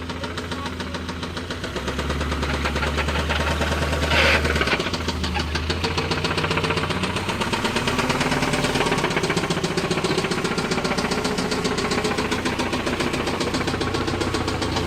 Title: mitsubishi mighty max mini truck rod knock 2